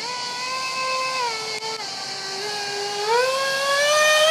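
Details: Su-35 RC jet with twin EDFs, 5-blade rotors, 2600kv motors on 6S: high screaming tone with rough rasp rising and falling with throttle; cheap shaft adapters and mounting pads detached by vibration.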